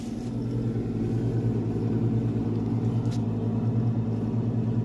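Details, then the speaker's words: Brastemp frost-free fridge cooling poorly, loud steady irritating buzzing hum from a failing evaporator micro fan motor, before replacement: noisy evaporator fan motor. "estão ouvindo essa barulheira vai acabar pessoal geladeira Brastemp olha aqui acabou de chegar o micro ventilador tá vou trocar e esse barulho vai acabar esse barulho irritante"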